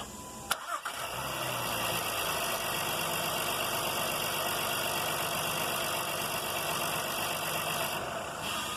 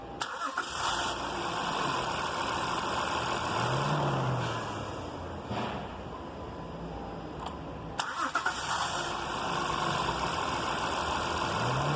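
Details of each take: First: 2016 Honda Pilot V6: short crank catches right away and settles into steady, even idle with no grinding, starter engaging cleanly; normal start. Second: 2016 Honda Pilot V6: two cranking attempts at startup with a harsh metallic grinding roar from the starter motor instead of smooth cranking.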